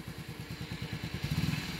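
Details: Motorcycle after clutch side repaired and cleaned, weak battery (9.4 V on start), idle then slight rev: low even putter with no whine on top; earlier turbo-like clutch-side whine gone, clutch side back in condition.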